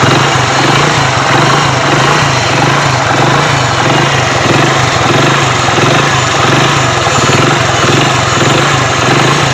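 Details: Hero Splendor Pro after repair of noise from the magneto side, where a broken plate was found: even single-cylinder idle putter, steady and free of rattles; engine sounds healthy.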